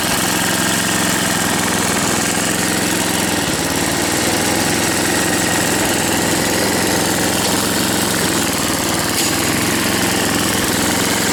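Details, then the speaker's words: 1978 10 horsepower snowblower, 34 years old, rebuilt and warm after running a minute earlier: steady, even engine drone with no knocks or misses; runs smoothly and healthily. "Anyway, this one is a 1978, 34 years old, 10 horsepower, runs like a top."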